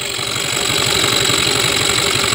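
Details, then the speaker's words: Yamaha Mio 125 scooter idling, after new cylinder block and piston, camshaft, rocker bearings, CVT and starter one-way gear checked fine, no smoke: fast, even ticking like a loose piston from the right side; oil pump gear suspected. "Kenapa motor ini masih ngelitik juga, kayak bunyi piston longgar juga ya teman-teman."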